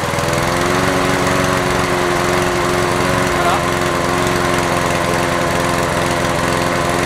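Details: Honda HR17 mower's single-cylinder engine running steady and even at constant speed, no stumbling or knocks, after a no-start on return to service; runs normally, though fuel leak suggests a failed carburettor bowl gasket.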